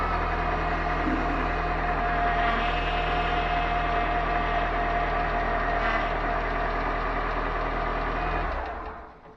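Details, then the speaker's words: Turbo PT Cruiser during power steering flush, engine idling: steady mid-pitched whine from the power steering pump, meaning air and foam in the reservoir. "So you could hear it start to whine there, and that means that there's foam in the reservoir."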